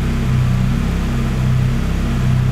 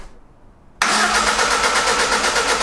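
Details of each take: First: Lada Granta Sport freshly rebuilt engine at idle: steady, even low drone with no ticking, knocking or rattles; runs smooth and healthy. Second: Lada Granta Sport freshly assembled engine, first start attempt: starter cranks with a steady even beat for about three seconds but never fires; crank sensor left loose.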